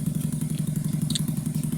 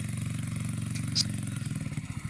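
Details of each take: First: 2009 Skyteam Bad Boy 50cc four-stroke single after an oil change, vacuum leak fixed and idle raised. Even putter of about eleven beats a second, no misses or clatter; smooth, healthy idle. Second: 2009 Skyteam Bad Boy 50cc four-stroke single, carb cleaned, good air filter, 130 psi compression, new spark plug, still running badly. Uneven putter at idle, beats stumbling and sagging near the end; air leak at the loose inlet manifold.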